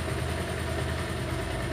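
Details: Bajaj Pulsar 180 single-cylinder after replacing a faulty CDI that caused pickup/starting and low-rpm stalling: steady, even putter at about 1000 rpm idle, no misses or ticking; idling healthy.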